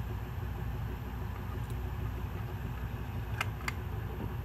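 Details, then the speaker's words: Ceiling fan motor on test: steady low hum with an even tone and no ticking or grinding; fan works and the bearings sound good, normal running. "H fan works good and the bearings sound good it"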